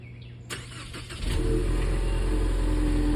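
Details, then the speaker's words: 2019 Ford Mustang EcoBoost, about 51,300 miles, after refitting the spark plug and coil for a startup misfire, sat a few hours so colder: short crank, catches cleanly, steady even idle with no hesitation; fixed. "Sounds great and healthy. No hesitation at all, and it's been sitting a few hours now, so it should be colder."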